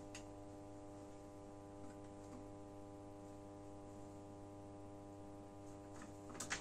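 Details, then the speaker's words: Genius 5.1 home theater system: loud, constant low buzzy hum from every satellite speaker even at minimum volume; the noise disappears when a connector to another board is unplugged. Mains hum. "now you can hear from the satellite it's a very very big noise the volume is at minimum but there is a problem with this annoying noise"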